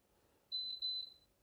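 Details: FiESTA FAB-i9 smart infrared cooker, 200 to 2200 W, wattage being adjusted on the touch panel: two crisp high-pitched beeps in quick succession, clean and even; normal key-press confirmation.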